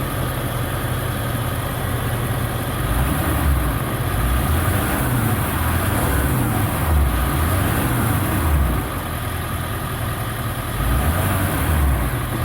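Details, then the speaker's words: 1999 Ford E-450 7.3L Power Stroke diesel ambulance conversion after an oil change: low, even rumble with a steady idle beat, no knocks or ticks; a quiet, healthy idle, though a vacuum leak elsewhere is suspected. "amazing how quiet that thing's running."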